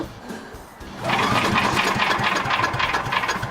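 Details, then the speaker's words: Troy-Bilt chipper/vac, cold engine, pull-started after running out of gas: one pull, then a fast ragged sputter that never settles; hard starting, and the owner suspects the carb needs adjusting and that it may be flooded, with gas dripping. "But the engine's also cold as hell, etc., etc. It sounds like it's starting to think about it. Wish I had an electric start."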